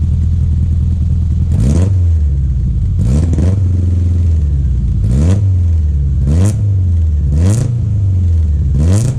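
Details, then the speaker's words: Datsun 1200 ute, newly installed dual Weber DCOE carburetors, not yet adjusted: deep engine pulls up through repeated blips and drops cleanly to idle, crisp even throaty intake gurgle; running well. "So let's kick her in the guts, as they say. See what happens. Let's listen to her gurgle. Damn, that good."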